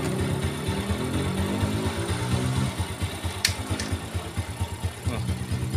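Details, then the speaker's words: 4-stroke underbone motorcycle idling in neutral: even thump about two beats per second, smooth with no harsh noise; complaint is crunching from right side of engine only when in gear. "motor ini saat langsam enak banget suaranya nih temen-temen bisa denger ya halus tenan pokok ya"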